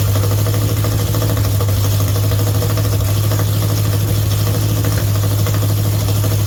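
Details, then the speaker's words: Mopar 400 big block for a 1964 Dodge Polara 500 on a run stand, at start-up after the timing was advanced a bit. The loud, lumpy idle has an uneven beat with an occasional stumble. Those present suspect it may be missing a bit; this is not confirmed. "It sound like it may have been missing a bit to me, too. I could kind of hear something in there."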